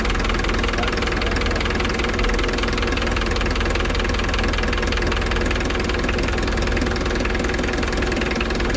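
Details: 1990 Mitsubishi Delica L300 with 4D56 diesel, just after starter replacement: even diesel clatter at steady idle, roughly two to three beats a second, no misses or surges; running as it should.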